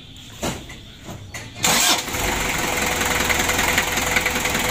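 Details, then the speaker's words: 1987 Daihatsu Taft GT Jeep diesel engine just rebuilt, new oil, air and fuel filters, glow plugs checked, first start while warming up and checking for oil leaks: brief cranking, then an even, steady idle with no knocks or misses; normal start and idle. "ya untuk Awali kini untuk awal hidupnya seperti ini sambil kita panas sih dan kita pantau kita Cek kebocoran Dek remesan oli"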